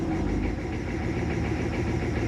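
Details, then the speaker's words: Chevy G20 diesel van idling cold with no throttle: low diesel clatter with a slight uneven rise and fall, a mild lope that goes away once warm or with a little throttle; rough cold idle, cause not pinned down. "i have no foot on the accelerator right now you hear that lope it definitely goes away once the engine is warmed up"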